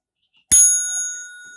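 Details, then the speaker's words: Seth Thomas mantel clock mechanism being repaired: single clean bell strike with bright steady tone fading evenly, the quarter-hour chime that goes off every 15 minutes; working normally. "it goes off every 15 minutes"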